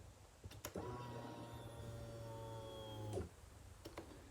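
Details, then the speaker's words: Husqvarna TE450 motorcycle after fuel pump replacement, mic close to the tank at key-on. A quiet steady electric hum lasts about 2.5 seconds and stops cleanly; normal fuel pump priming. The bike then started up fine. "fuel pump is pumping and she started up all right not too bad of a"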